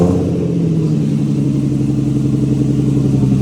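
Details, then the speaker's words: Exhaust revved to about 2-3k RPM after replacing a leaking exhaust gasket: the engine pulls up smoothly to a steady, even drone with no puffing or ticking. The exhaust leak noise is gone and the exhaust sounds sealed and healthy. "Oh my mama. Yeah, hell yeah. I don't hear the noise."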